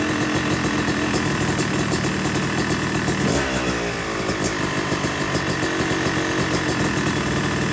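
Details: Yamaha YZ250 two-stroke motocross bike (270cc/250cc) after full engine rebuild (bottom end, transmission, bearings, clutch, power valve), second start-up after cooling, warming to about 100–125 degrees: crisp buzzing idle with one quick clean throttle blip; normal warm-up idle.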